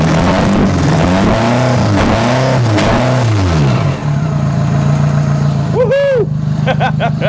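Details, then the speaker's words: Demo derby car in Western Australia, just revived ("it's alive"). Loud revving then a lumpy idle with a ragged, uneven puff in the beat; exhaust manifold leak. "Got a exhaust manifold leak. Sounds like it's m"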